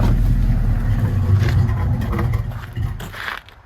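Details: Hurricane Ida flood-damaged 1979 Chevrolet Camaro Z28 V8, first run after rusty water drained from exhaust: deep fast rumble revving briefly on carburetor bowl fuel then dying out, fairly even; still pushing water from tailpipes, owner suspects water in fuel.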